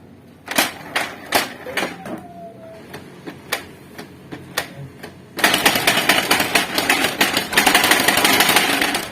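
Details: Canon MG2570S printer that won't pull paper: sharp scattered clicks, then loud rapid clacking as the paper pickup slips; the locking piece of the paper-pickup gear set is broken.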